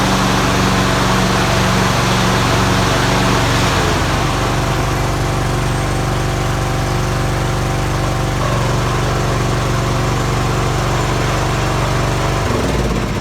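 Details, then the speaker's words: PoulanPRO mower with rebuilt deck and new belt, deck engaged: steady idle, even low drone, brief belt skid on the engine pulley expected to smooth out, no slapping or squeal; normal belt running. "all right you hear that belts skidding across that pulley on the engine but that'll soon as they get some dust on it'll smooth right out"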